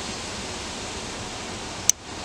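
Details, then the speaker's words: Car short-circuit test: circuit breaker wired into fuse output with a jumper to the battery and a short to ground; breaker clicks on and off as current flows briefly, a single sharp click over steady hiss. "you hear that click you can see the you can see the circuit breaker clicking on and off that's current flow for a second then it goes back"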